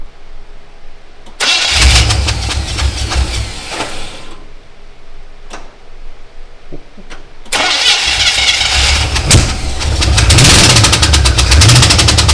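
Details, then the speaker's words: Old-school V8 in a Canadian GMC 9434 1-ton truck, first start after a six-year build: uneven, lumpy, stumbling running with rattle under blips, running on seven cylinders because one spark plug was left in; dead cylinder misfire. "Come on. We left the spark plug in. Oh fuck, that'll be. She's running on 7. Fuck, you know. A V7."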